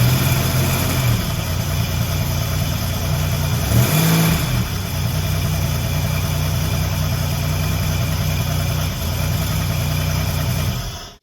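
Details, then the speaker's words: Buick Grand National rebuilt 140 block with fresh cam, first startup without cooling system fitted: fires promptly, blips once, then holds smooth steady idle with even low rumble before shutdown; normal idle. "okay I like the way that sounds remember I don't have any cooling system components on here yet so I don't want to run it for long"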